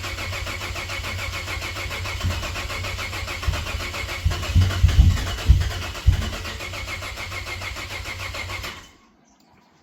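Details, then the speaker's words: Cadillac ATS-V engine swapped into a 2013 ATS 2.0T, battery down to maybe two volts: long uneven cranking about two beats a second, sagging and stopping dead. Crank no start; owner blames air in the direct-injection fuel system. "that's what happens when direct injection fuel systems full of air this thing's probably got like two volts in it right now it's so dead"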